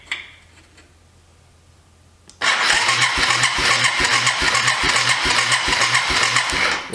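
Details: Abandoned Yamaha 250cc ATV (Bear Tracker) said to have run when parked: steady, even starter cranking about two and a half beats a second but it never catches; weak spark, key switch or ground suspected.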